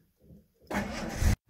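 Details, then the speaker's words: Jaguar Series 1 4.2 cold start after sitting about 3 weeks, with newly fitted electronic ignition replacing points and condenser, no throttle: brief cranking, catches on the first turn of the key and settles into a steady, even idle; a clean, healthy cold start. "Oh, look at that. 3 weeks and it just started. First flick of the key, look. Honestly, I've had 4-year-old cars that don't start as well. And by God, it's running smoother cold than it ever has."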